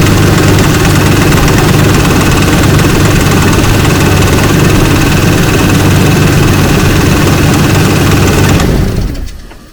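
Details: 2004 Ford Ranger FX4 4x4, 4.0 engine, 275,000 miles, after a new coil and plug wires to fix a misfire code: strong, even idle with no misses; owner hears another noise he suspects is the recently replaced AC compressor.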